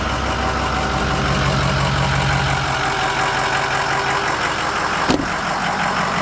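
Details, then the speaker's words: 2005 Ford F-250 6.0 Powerstroke diesel after installing an AFE Momentum cold air intake with dry filter, MBRP exhaust: steady, even idle clatter with a smooth, unchanging rumble and no knocks or misses; sounds no different than before, healthy. "Don't really sound any different here. Shouts out MBRP."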